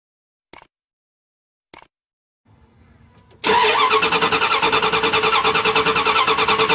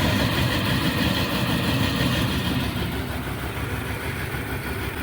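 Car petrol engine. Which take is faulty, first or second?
first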